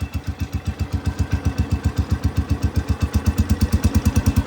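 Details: Cub Cadet 105 lawn tractor, cold start about a minute earlier, revved to about half throttle; strong even low thumping exhaust beat, no misses or rattles; normal running.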